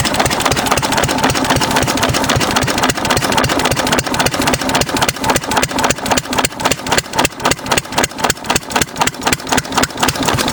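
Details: 6 HP Witte diesel-electric engine, about 80 years old, water-cooled, revived after ~30 years with valve work, oil change and fuel cleaning: slow, steady, even thumping near four beats a second, no knock or miss; healthy idle.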